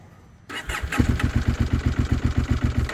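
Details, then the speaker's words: KTM 890 Adventure R Rally cold start after about 45°F overnight, following several failed start attempts: lumpy, uneven chuffing at about four beats a second that never smooths out, running rough as if on one cylinder. "and you can hear it runs very rough like it's running on one cylinder"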